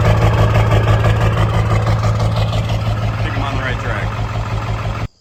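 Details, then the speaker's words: Ford 7.3L Powerstroke diesel idling after swapping a bad new ICP sensor; deep even idle about three beats a second, no cackle, shudder or shaking, pretty smooth; injectors a touch lazy. "okay so you heard that idol it's a lot better it doesn't cackle it's not shuttering it's not the whole truck's not shaking like a rocking horse it's actually pretty smooth"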